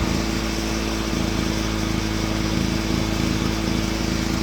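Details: Honda EX350 generator, long unused, started after fresh fuel: steady, even buzz with constant pitch and no misses or knocks, output 129 volts at 58.6 Hz before high-output mode; running smoothly and healthily.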